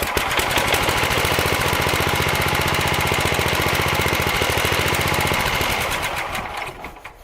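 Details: Sears Suburban SS12 garden tractor, believed 1970, after new carburetor float: quick even putt-putt holding steady then winding down at shutdown; runs fine.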